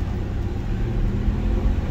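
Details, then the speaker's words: 2014 Infiniti QX60 3.5L: deep steady roar from inside the transfer case, heard under the running noise, described as a dry sound; case leaking fluid near the pinion, got very hot, differential suspected to have run low. Cause suspected, not confirmed. "It's like a roar."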